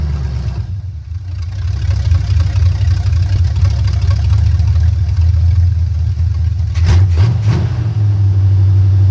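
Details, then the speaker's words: Old engine after advancing ignition timing to cure a miss, vacuum advance disconnected: deep steady rumble settling to an even idle with a brief blip; smooth running, though a miss may remain. "she just wanted a little timing oh crap she just wanted a little timing"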